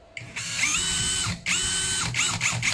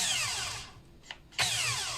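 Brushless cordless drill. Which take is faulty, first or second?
second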